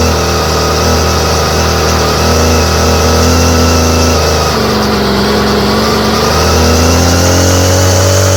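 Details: Homelite string trimmer, no model number, fitted with a new non-OEM Chinese aftermarket carburetor; small two-stroke buzz sags and recovers as mixture is turned, runs only in one narrow spot and stops just past it, with popping.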